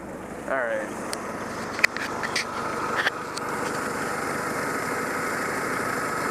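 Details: Restored 1946 Willys CJ2A Jeep, out of gear. It starts after a few catches, then settles into a smooth, steady idle with no knocking or ticking; sounds healthy.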